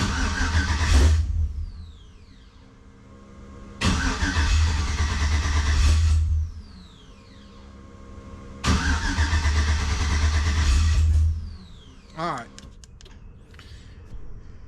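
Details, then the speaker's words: Jeep TJ with swapped 5.3 V8, pre-oiled, new exhaust, running off jump box, MAF disconnected: three cranking bursts of about 2.5 s, starter turning steadily but engine never catching; later found VATS anti-theft still enabled in the tune. "Good morning, everybody. So when I left you, we were pretty frustrated. We'd had a lot of issues. The vehicle wouldn't start, wouldn't run, that kind of thing."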